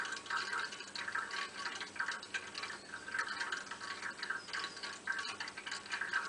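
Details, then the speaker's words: Hot-water heating radiator: irregular bubbling and trickling like water pouring into an open free surface; diagnosis is an air pocket trapped in the radiator. "je to takový bublání, zvrčení, jako když voda natéká do nějaké volné hladiny. Když se konkrétně podíváme blíž na ten zvuk, je to opravdu takový zvuk, jako když vytéká voda do volné hladiny."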